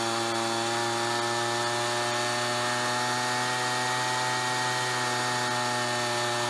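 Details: Ryobi BP42 backpack leaf blower two-stroke, 4 years old, after repairing no-spark, replacing and fine-tuning the carburetor, and redoing the fuel lines: smooth, steady high buzz at constant revs with no surging or misfire; normal running.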